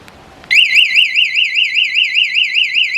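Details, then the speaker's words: Bike or scooter with a newly fitted Autofy anti-theft alarm, siren triggered from the remote. Loud, piercing siren warbling up and down about twice a second, steady and strong. Normal alarm siren. "ഇനി വണ്ടി സൈറനൊന്ന് മുഴക്കുവാണ് കേട്ടോ."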